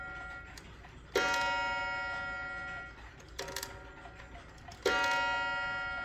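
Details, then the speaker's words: Waterbury clock after adjusting the hammer and gong and securing the back cover: three clean ringing gong strikes decaying smoothly without buzz or rattle; chime now sounds better, bonging on the half hour. "That sounds better. Okay, it's going to bong on the half hour."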